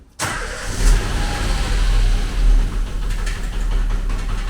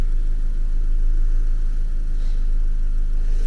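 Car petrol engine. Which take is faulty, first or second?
first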